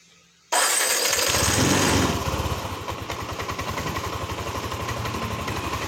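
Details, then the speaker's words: Yamaha NMAX 155 (old model), code 61 ISC system: catches after a second of cranking, then runs in uneven lumpy pulses under held throttle; suspected missing spring or dirty throttle body; injection duration 3 ms. "tahan tidak ada nyala ya Ini kemungkinan dari per yang tidak tidak terpasang dan bisa juga dari eh total body yang kotor"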